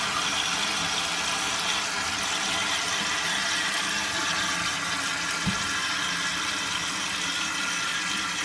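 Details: Mansfield canister-style toilet that kept running after flushing, after replacing the degraded pink canister gasket: steady hiss of water rushing into the tank with no sputter or surging; fill valve refilling normally.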